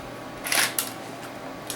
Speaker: and you'll hear some clicks as it pulls the tape back into the cartridge and ejects it just like that